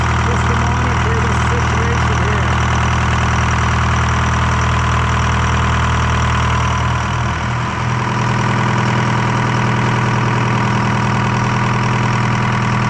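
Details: Detroit 4-53T diesel with 7A77 injectors back in after 9G90 failure and loose suction hose clamp replaced; heavy even drone easing down to a steady idle near eight seconds, no misses or knocks; normal idle.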